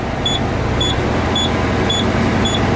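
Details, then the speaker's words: Truck during CDL pre-trip air brake check, engine revved slightly after tank bled: repeating high beep about twice a second over steady diesel idle, low air warning ending at 80 psi as compressor builds toward 120 psi. "it's getting up to, when it hit 80 pounds of pressure, the beeper went off and the warning light went off."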